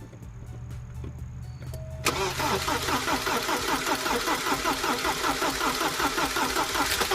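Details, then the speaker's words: 1988 Porsche 944 that now starts after swapping the speed and reference sensor plugs: a light, fast lifter clack over the idle, with no oil pressure showing on the gauge, possibly a wiring issue. Cause unknown. "The car now starts, and you can hear that lifter clack."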